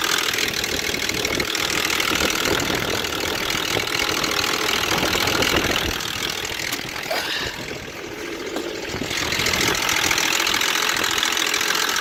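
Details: Stolen-recovered Volvo XC90, first start: loud, harsh, somewhat uneven clatter at idle, roughly three raps per second, sounding like a diesel; heavy internal engine knock, cause unknown.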